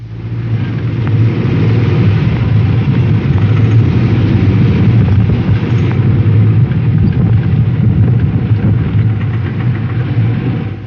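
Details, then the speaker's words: Air-cooled Volkswagen engine pulling under load with a light tinkle like breaking glass over the drone: pinging from ignition timed too far advanced or cheap low-octane gas; cure is resetting the timing. "Pinging will happen if your engine is timed too fast or if you're using cheap gas. Listen for the tinkle, almost like breaking glass."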